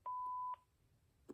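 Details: Panasonic KX-TG5438F 5.8 GHz cordless phone base answering machine, after the stock greeting: one clean mid-pitched tone held about half a second, then quiet; the normal beep that starts message recording.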